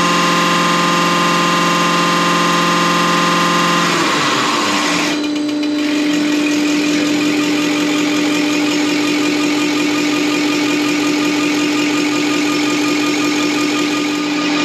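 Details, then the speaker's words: Deutz V8 diesel injection pump from the MAN Kat truck, which could only reach 50 km/h, run on a diesel specialist's test bench after cleaning and full dismantling: even mechanical hum whose steady tone shifts after a speed change, no knocking or grinding, sounds like an engine. "un moteur v8 qui tourne là. Je ne pensais vraiment pas que ça faisait un bruit de moteur, on croirait un moteur."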